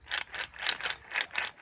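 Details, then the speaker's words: 2010 Nissan Frontier 4X4 front wheel bearing, removed and spun by hand: rough gritty grinding in bursts about three times a second, the worn bearing that would have been noisy; bore cleaned before fitting the new bearing. "That was your bad bearing. That was the bearing. Oh my God, that definitely would have been noisy."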